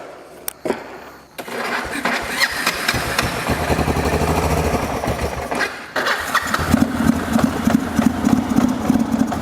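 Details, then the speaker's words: Kawasaki 300 ATV that sat long with a fuel issue and dead battery, after throttle assembly refit; cranks, catches and settles to an even single-cylinder idle on its own with choke off: normal idle. "That's idling. That is idling under its own power with the choke off."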